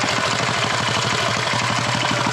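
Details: Custom Motovox minibike with a 206 Briggs engine and a 22mm Mikuni-style carburetor, started on one pull: quick, even single-cylinder popping at a steady rate with no skips or knocks. A clean, healthy idle.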